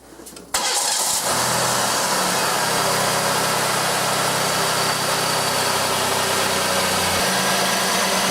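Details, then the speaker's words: 1989 Oldsmobile 3.8L/3800 V6, intermittent stalling, no spark until crank position sensor wire wiggled, engine fairly warm: sudden catch, fires and settles into steady loud run; intermittent crank position sensor wiring fault. "the one thing that we've been able to figure out so far if we wiggle the magic wire right here it most of the time will start"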